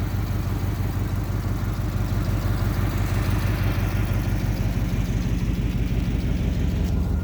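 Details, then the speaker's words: 1987 Camaro IROC-Z, running again after a bad wire was fixed: steady, even idle rumble with a constant whir from both cooling fans; normal idle, fans working. "both fans work they're actually on right"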